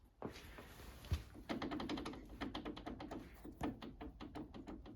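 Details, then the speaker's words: Hayabusa-engined mini race car, rear suspension, during race prep: quick dull metallic clicks and clunks as the wheel is rocked by hand, from play in a rose joint fitted new two race meetings ago. "That is play in the actual rose joint. Now these were brand new rose joints 2 race meetings ago."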